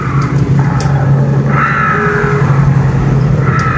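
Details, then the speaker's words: Honda Beat FI (2016–2019) CVT, rear wheel spun without engine running: steady low drone with a thin high whine in short bursts once the secondary pulley is fitted; the cause is a worn inner pulley bearing, the pulley itself is fine. "Ya, suara rengekan itu muncul. Oke, sebenarnya apa yang menyebabkan suara itu? Mari kita analisis langsung, teman-teman. Perhatikan katrol sekunder di sini; Saya rasa kondisinya masih bagus. Ternyata, kerusakannya terletak pada bantalan bagian dalam ini."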